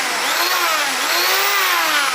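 High, smooth motor whine rising and falling with the trigger, no rattle or grinding underneath; drill sounds healthy.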